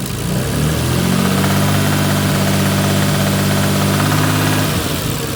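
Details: Toyota 2JZ-GTE engine idling then revving with an uneven knock under the exhaust note; a spun connecting-rod bearing shell.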